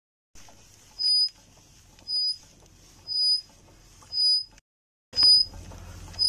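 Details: Toyota Harrier SXU10 brakes: a short, high-pitched squeal repeats about once a second with wheel rotation; brake disc replacement job, original discs 43512-48011 swapped for Miles K000371 discs; cause of squeal suspected, not confirmed.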